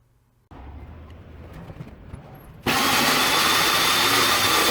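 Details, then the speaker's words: Minleaf ML-MS1 mini portable table saw cutting plywood. Spins up to a steady high whir, then a loud, even rasp as it cuts, measured at about 75–76 dB. Normal cutting operation. "i measured the decibels it was sitting at around 75 76 decibels so it's actually not too loud"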